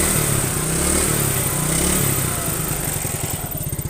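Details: Yamaha Mio scooter after carburetor repair and setting for hesitation on first throttle, heavy fuel use and low power: revs rise cleanly without stumbling, then settle to an even idle putter; normal idle and revving.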